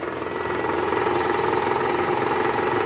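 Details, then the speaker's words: 2012 Toyota Camry 2.5 V, 2AR-FE engine, 167,000 km, shortly after start with AC on in R or D: a harsh, coarse, rapid diesel-like clatter over the idle, quieter in neutral, from the oil pan area; worn, loose balancer shaft. "mesinnya 2arfe ini ada gejala keluhan yaitu suara kasar di area mesin pada saat awal mesin hidup masuk r atau d dan posisi AC on nah bunyinya seperti ini"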